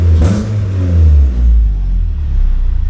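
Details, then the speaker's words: Honda K-series engine with a modified RBC intake manifold, idle control valve temporarily blocked, idle set near 1000 rpm: crisp throttle blips, revs climbing and dropping cleanly with a deep even exhaust note, no misses; good throttle response. "it has really good throttle response"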